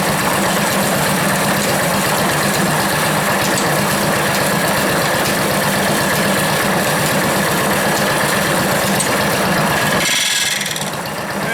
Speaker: so here they're starting to bind together it's really horrible noise